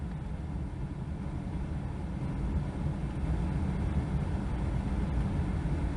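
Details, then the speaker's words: 2003 Kia Sedona cabin blower after HVAC control module replacement, heard in the cabin with the door shut, at speed 4: steady, even rushing airflow with no rattle, squeal or pulsing; all fan speeds now controllable. "Number 3, I have control. Number 4, I have full control"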